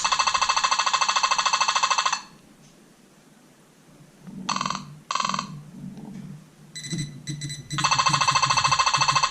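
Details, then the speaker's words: Nokta Makro Simplex+ metal detector in park mode, frequency shift changed and sensitivity at 4 bars: bursts of fast, evenly spaced high chirps like a woodpecker with quiet gaps; electromagnetic interference, possibly from nearby Whites TRX, unconfirmed. "What's louder? Sounds like a woodpecker."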